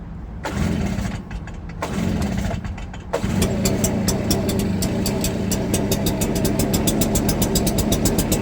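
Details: Stihl BR340 backpack blower after teardown, cleaning and carburetor work, on the customer's old fuel with no carburetor adjustment, choke off: a few cord pulls, then it fires into a steady, even two-stroke buzz; running healthy.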